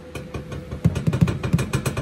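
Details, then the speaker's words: Volvo 850 T-5R with AWD swap and new 3.5-inch stainless exhaust (Vibrant resonator, Borla XR1 muffler): irregular deep thumps and clunks over the low engine rumble. The pipe moves around too much and needs more hangers or mounts. "You can hear, I'm definitely gonna need to like mount it somewhere because it moves around way too much. Like listen to this."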